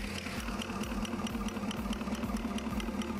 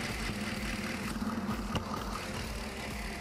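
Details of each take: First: 2016 Holden Commodore VF 6.2 L LS3 V8 at idle, injector heard through screwdriver on its body, mic in palm: crisp, even ticking about two per second; normal injector clicking, compared with suspect cylinder five. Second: 2016 Holden Commodore VF 6.2 L LS3 V8 with misfire, stethoscope on suspect injector number five at idle: dull, uneven hum lacking the crisp regular tick heard on other injectors; dead fuel injector.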